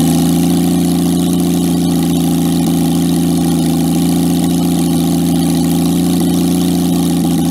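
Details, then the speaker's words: Jaguar XK six-cylinder engine in a homemade aluminum boat-tail speedster, first run after a four-year scratch build, tuned to run smoothly; smooth, deep, steady hum with no misfires, ticks or knocks; normal idle. "you'll hear for yourself in a minute here just how good this jaguar xk6 sounds once it's idling"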